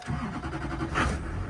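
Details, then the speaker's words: Diesel truck with 224,000 miles, due for an oil change, seen at an auction walk-around: after waiting for the glow plugs, a short crank and it fires right up into a steady, even clatter; it runs like a champ with power. "Fire right up. Fires right up. Runs. Has all kinds of power. Runs like a champ."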